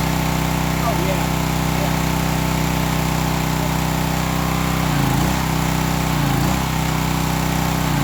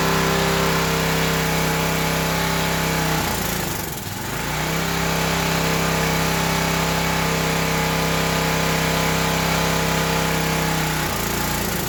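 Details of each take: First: Old Craftsman pressure washer with pump on, water supply connected: steady small single-cylinder engine drone with an even pump pulse under it, no knocks or misses; pump confirmed working, repair good. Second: Old Craftsman pressure washer engine, unrun about 10–12 years, after carb cleaner: small single-cylinder runs steady, then sags and nearly dies twice before catching again; runs only on choke, dies off choke; likely a clogged carburetor.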